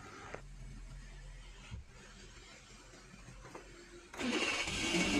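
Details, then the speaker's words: 2010 Suzuki (Maruti) WagonR with a high-idle complaint (over 2000 rpm): clean start running up to about 1000 rpm, then settling to the normal ~800 rpm idle; normal start and idle. "and here starting engine RPM went 1000 and after some seconds came in normal this is correct when you start the car scanner is disconnected reconnect it"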